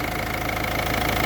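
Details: Diesel car after a fuel filter change and bleeding of air from the fuel system, with a few bubbles still present: steady, even idle with a light regular clatter, no misfire or hunting; runs smoothly.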